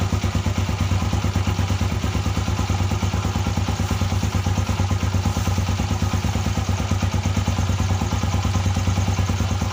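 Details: GL series motorcycle after repair of a clunking noise suspected at the left magneto side; the magneto spin was found damaged, and the engine now idles with a steady, even low thump, no knocking or rattling.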